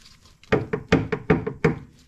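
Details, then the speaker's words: 1984 Bertone X1/9: missing, disintegrated inner steering rack bushing lets the passenger-side tie rod knock; hitting a bump sends sharp, hollow clunks (about seven in a second) through the car to the steering wheel; rack must come out to be rebuilt. "when you hit a bump it transfers it into the car to the steering wheel and you can hear"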